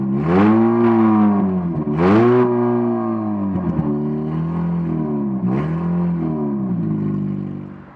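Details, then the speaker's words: 2007 Dodge Caliber on ramps after a DIY muffler repair; the muffler had rusted off and detached from the manifold. Engine revved: a clean, deep exhaust that rises and falls smoothly, with no rasp or leak. Normal, sealed exhaust note. "that did a massive massive amount of good that completely changed the sound of the engine obviously"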